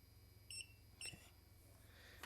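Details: Multimeter continuity test on MOSFETs while repairing an RC ESC: two short high-pitched beeps half a second apart, then light probe clicks against a small part.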